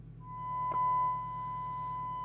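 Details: Skiptech TI4000FM CB27/81 CB radio on receive with a signal-generator tone during servicing: a steady high tone over low hum sounds rough and buzzy, not pure; the FM detector sounds miles out of alignment.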